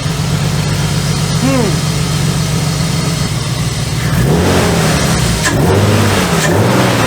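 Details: BMW after new NGK BKR6EQUP spark plugs and Bremi coil packs, misfire got worse: uneven stumbling lumpy idle with loud exhaust; heavy smoke or condensation seen, compression test next, owner suspects engine is ruined.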